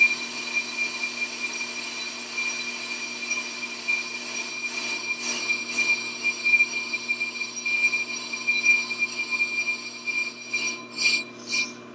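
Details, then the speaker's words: Shop brake lathe, fast cut on a rotor, partially automated: thin, steady high ringing from the tool on the rotor, easing off as the cut finishes while the lathe keeps spinning. "okay and you can hear it actually stop cutting now this machine is partially automated so you can see it's still going even though it's not making the cut"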